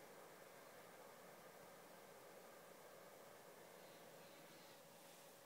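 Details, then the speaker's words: PS4 running Killzone Shadow Fall for 4 hours after new thermal paste and a cooling pad underneath. The fan sped up at game start, then settled to a faint, steady, quiet airy hiss with no whine or rattle. "the fan just stays like this dead quiet now normally when you put in the game the PS4 fan normally speeds up but then it slows down"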